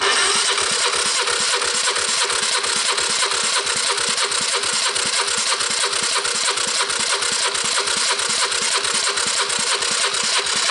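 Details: 1986 Honda TRX250 with new starter and starter gears, before startup: even cranking at about three strokes a second, no firing; compression reads about 120, healthy enough to start.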